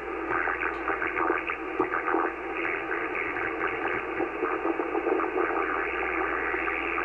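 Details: Laptop touchpad causing warbling RF interference on 80m ham receiver, wavering warble over hiss varying with touch pressure; touchpad damaged after WSPR transmitting next to computer.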